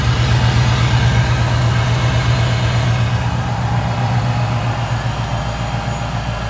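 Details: 2012 supercharged Ford Mustang GT 5.0L, just after an oil and filter change with synthetic 5W-20, on jack stands: deep, even V8 burble settling into a smooth steady idle with no ticking or knocking. Normal idle.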